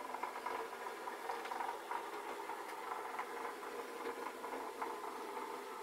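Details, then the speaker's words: O gauge brass-chassis locomotive with Mashima 1833 motor and feedback controller, unused for over 10 years: light, even whirr with faint rhythmic wheel clicking at steady speed; running smoothly. "it runs quite nicely and uh i hadn't used it for 10 years or more got it out of its little box"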